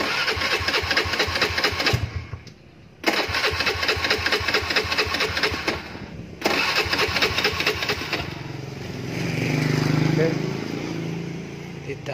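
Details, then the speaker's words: Honda Beat carbureted scooter, ignition on, spark checked at the coil output lead; three bursts of even starter cranking and the engine never catches, crank no start, no spark. "Oke kontak sudah on gak ada apinya gak ada apinya y kabel warna biru l kuning ini oke"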